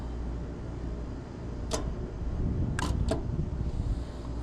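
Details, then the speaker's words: Walk-in cooler reading 63°F against a 39°F setpoint, rooftop condensing unit: low steady hum and sharp clicks, no run-up. The compressor trips on overload, drawing 31 A then 34 A locked rotor, and won't start even with a used hard-start kit. Diagnosis: seized compressor needing replacement. "Even with the hard start boost, she won't. She's going to have to have a compressor."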